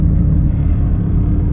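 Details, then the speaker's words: Honda EJ8 with D16 and eBay turbo on current tune, cold engine, long-term fuel trim +17: deep rough idle with lumpy stumbles; super lean, lean misfire at cold idle. "no wonder why it's missing when it's cold it's missing like crazy right now it's super lean it's just terrible"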